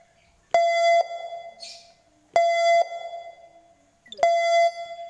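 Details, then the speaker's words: Mitsubishi Grandis being locked: three identical half-second mid-pitched electronic tones about two seconds apart over silence; normal lock confirmation sound. "bunyi setelah pada saat dikunci biasanya bunyinya seperti ini"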